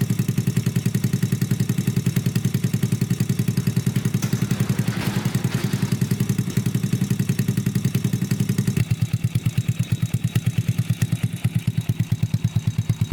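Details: Honda Grom clone single-cylinder after valve adjustment, idle turned down and mixture richened slightly: slow steady idle about two pulses a second, no clatter or misses; healthy, mixture still to be tuned, no air filter yet.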